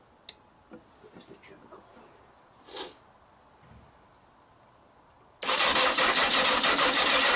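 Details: Yamaha XJ900S on first start in 10 years, jump-powered from a power pack: a few faint clicks and a weak try, then after about five seconds it fires into a fast, rough run. Hard starting, catches after repeated attempts.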